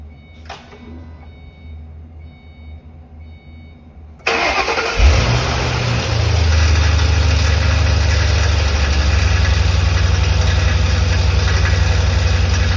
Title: 2005 Mustang GT engine rattle sound - What could it be?